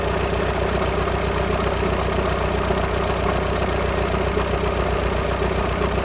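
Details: VW Sharan 7N 2.0 TDI common rail diesel (CFFB), cold start after new timing belt, injectors refitted and fuel lines drained without bleeding; fast regular light rattle about four per second over idle clatter; owner suspects tensioner pulley, unconfirmed.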